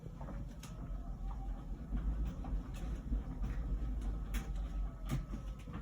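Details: About one-year-old LG Wash Tower WKHC202HBA heat pump ventless dryer, before the new buzz begins: steady low rumble with soft uneven thumps of the load turning; drum rotates evenly, normal run.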